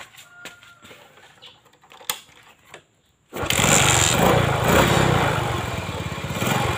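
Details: Suzuki Shogun 110 motorcycle after fixing lost ignition, battery connected for test start: a few quiet clicks, then the engine fires straight up and holds a strong, steady, even run; normal running.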